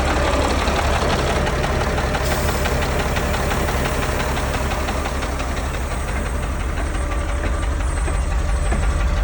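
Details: Cat 3126 diesel in a Freightliner FL60 on first start after a new HEUI high-pressure oil pump and resealed injectors: idling rough with an uneven, stumbling beat from a cylinder 1 misfire. Major blowby comes out of the road draft tube.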